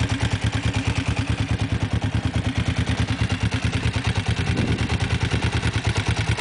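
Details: Kawasaki GPZ engine running: rhythmic mechanical clatter beating steadily with the firing pulses; cause of the rattle unclear.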